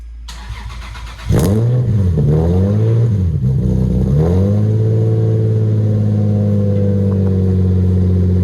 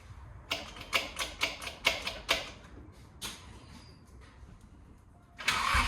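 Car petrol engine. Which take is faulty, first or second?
second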